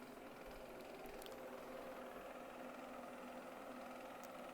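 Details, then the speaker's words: Shark AI robot vacuum RV2001DRUS with Error 2 after brush roll cleared of hair and lubricated; steady motor hum with light irregular rattle, brush roll louder than normal; owner suspects the lubrication or the bearings reseating. "either that lubrication i've put in there and made it spin too fast or the uh the bearings are kind of just getting reseeded after not moving a whole lot from having all that hair in there"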